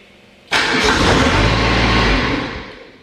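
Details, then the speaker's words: Exmark XS diesel zero-turn mower, 60-inch deck, throttle about a quarter after 15 seconds of glow plugs: engine catches, runs about two seconds, then winds down and dies; failed fuel solenoid. "so it starts for about two seconds and then it shuts off i'll do it again okay so that's what's going on with the zero turn"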